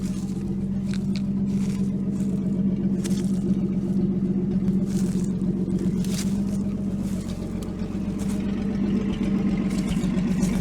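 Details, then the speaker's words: 1949 Chrysler with rebuilt 251 flathead, first run in 18 months, exhaust not connected. Steady, even idle with a smooth low drone and no tappet or rod noise; running healthy and quiet. "it's amazing how quiet this is never mind the lack of exhaust but there's no tappet noise no Rod noise thing just wants to run"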